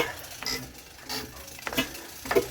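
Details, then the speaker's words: Cold JP2 marine engine on a boat in December after three months unused, turned slowly by hand in neutral: slow, uneven light clacks, about four in under three seconds; a slightly sticking valve, with cold oil possibly adding a plugging effect. "the valve sticking a little. So there's a bit of pressure in the cylinder before it opens."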